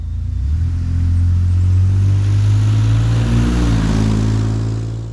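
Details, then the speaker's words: DeLorean after welding the broken header flange to cure the ticking exhaust leaks: deep, even exhaust note rising and falling with revs, no ticking or puffing, now normal. "That sounds much better. It's the normal amount allowed now."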